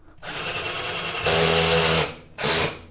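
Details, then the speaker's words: Black and Decker LDX120 drill on a low torque setting while drilling: motor whine climbs and holds while the bit stops advancing; torque clutch slipping. "yeah you can see it's it's just making that noise it's not not going anymore"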